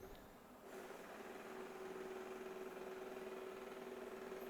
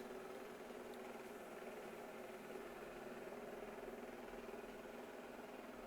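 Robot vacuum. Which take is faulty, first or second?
first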